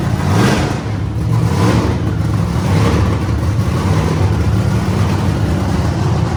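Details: Wagon project car first run after lean condition traced to manifold leak, temporarily sealed with painters tape on back of manifold: steady deep rumble with gentle throttle swells, even and smooth without stumble; runs normally.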